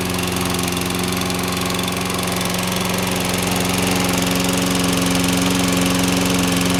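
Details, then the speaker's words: 2009 Toro 22-inch Recycler Personal Pace mower, model 20332, 6.75 HP Briggs & Stratton ready-start engine, fresh oil and cleaned air filter, started without priming after a week: steady fast governed single-cylinder beat, no misses or knocks, normal running. "we'll give it a start here hadn't started this in uh a week see how it does here here we go don't have to prime it"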